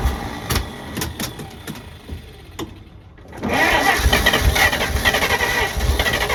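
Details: 1948 Pontiac Silver Streak straight-six, sat since early 90s, first start attempt: uneven cranking bursts then rough, lumpy run with light irregular tapping; owner says it was knocking a little, only stays running on throttle.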